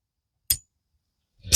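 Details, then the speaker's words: 1976 Vermeer LS200 log splitter (Kohler K301 12 hp), with the microphone close to the detent: a sharp metallic click as the ball drops into its hole, then brief handling rattle. This follows a repair where the part was refitted rotated 180° and peened, and the detent now engages properly. "so that means the ball is falling in the hole properly and it's going to hold it open without it rattling for you"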